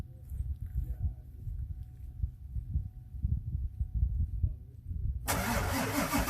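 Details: 1999 Ford F350 7.3 Powerstroke diesel, faulty glow plugs, cold start at -7°C with AMSOIL Cetane Boost: about five seconds of slow uneven cranking, then catches and roars up; hard cold start from faulty glow plugs.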